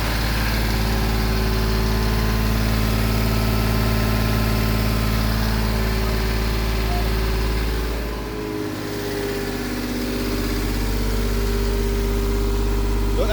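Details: Turbocharged Lexus IS300 with VVTi 2JZ-GE engine, first start after four years of building: steady low idle with an even pulse about three per second and a slight dip midway, settling smoothly; normal idle, though leaks were later found.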